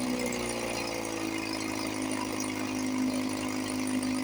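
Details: 1954 Johnson 5.5HP two-stroke outboard, barn find revived after about 60 years with carburetor rebuilt, running with cover on, fuel bulb hand-pumped, water pump pumping nice. Light, even buzz with steady mid-pitched drone, no knocks or stumbles: normal running.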